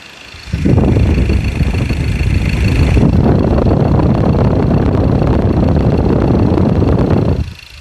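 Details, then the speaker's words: 2.2 diesel idling after injector repair with new valve sets and nozzles, values reset; injector correction values about 0.9 to 1.1, normal on all cylinders: steady, even light clatter with no misses or knocks. Normal diesel idle. "ตามขั้นตอนการซ่อมของทางทีมงานเรานะครับเครื่องเสียงเครื่องยนต์ก็ประมาณนี้นะ"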